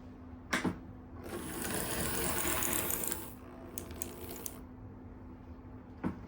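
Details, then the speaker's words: Hawthorne Village ON30 model locomotive after wheel and gear replacement: light, uneven whirring rasp with scattered clicks; rough gear noise, suspected wire catching or bent pickup misplaced, unconfirmed; broken-gear clicking gone. "that sounds like maybe there's a wire getting caught somewhere or maybe one of the pickups is in the wrong place cuz they were all bent out"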